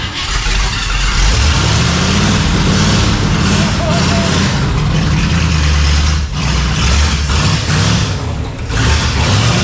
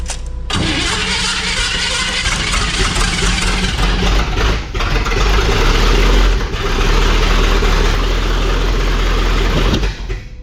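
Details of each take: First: Engine first fired after a week of wiring work: it starts and keeps running, revving and easing back with a steady, even rumble and no stumbling. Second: Chevy engine started after the distributor was refitted with the old cap and the plug wires possibly needing to move around: cranks, catches roughly and stumbles unevenly without settling; ignition timing off.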